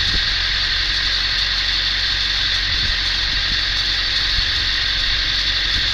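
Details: 1999.5 Ford F350 7.3L Powerstroke diesel idling: light metallic rattle under the truck, coming and going irregularly over a steady idle; owner suspects flexplate or starter, unconfirmed.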